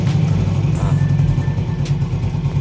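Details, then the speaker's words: Yamaha Vega R motorcycle in first gear, brake held, after replacing the worn one-way clutch set and clutch-side rubber: smooth, even engine thump with the whirring from the clutch housing gone. "Kang Bro dengarkan untuk suara werwernya di bagian bak kopling sudah hilang dan suaranya halus ya"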